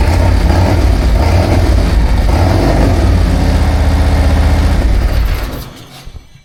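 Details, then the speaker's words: 2024 Harley-Davidson Road Glide Milwaukee-Eight, before Stage 2 cam upgrade, with slip-on mufflers and Screaming Eagle air cleaner and tuner, cold: loud lumpy even V-twin idle about four pulses a second until shut off; normal. "And that's what it sounds like when it's cold."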